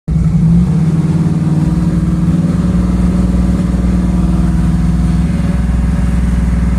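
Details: 1984 Ford Mustang 5.0 V8: lumpy idle with irregular stumbles and an uneven beat. The misfire comes from a failing primary (12-volt side) ignition circuit, specifically the pickup coil; the module had already failed.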